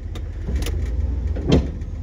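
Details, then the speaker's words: 1968 Ford Galaxie XL convertible, 390 4V with C6 automatic, backing up after the first start: three sharp, uneven clunks over low idle. Front-end clunking; suspected ball joints or A-arm bushings, unconfirmed. "sounds like we got some front end stuff clunking reverse something's making a lot of racket"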